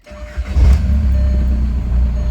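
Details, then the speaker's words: Car idling with A/C off: steady mid-pitched whine over low rumble that disappears when the A/C is switched on; bad A/C compressor clutch pulley bearing (part 35BD219DUK), not cured by greasing. "it's it's like a whining noise like that so when I turn the AC on it goes away I turn it off it's it's there so it's something related with the air compressor so we want to fix that"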